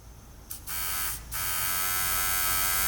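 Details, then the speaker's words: Fuel pump from a 2022 Benelli motorcycle, bench-run after the rusty motor shaft was freed with WD-40: steady high electric whir starts, pauses briefly, then runs smoothly as the pump motor spins freely; normal fuel pump operation. "Oh yeah. Look at that. That sounds pretty darn good."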